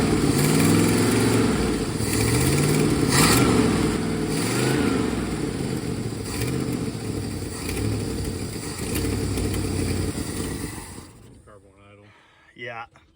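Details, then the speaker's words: 1970 Plymouth Road Runner 440 six-barrel V8, parked since 1991, first start after 32 years, no exhaust pipes, valve cover leaking oil: surges and lopes unevenly, never settles to a steady beat, then dies; carburetor will not idle at all. "okay obviously we've got a few teething problems had to retort this valve cover you know just a little oil pouring out and this carburetor will not idle at all and we kind of already knew that"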